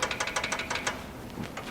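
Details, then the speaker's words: VW Beetle-based MG kit car, air-cooled, revived after about 5 years, engine off, crank rolled 180° during valve adjustment: crisp metallic clacks as the rocker is rocked by hand; intake four very loose, suspected cause of the runnability issue, intake two also sloppy. "really loose. I think that was the runnability issue. Two seems a little sloppy as well."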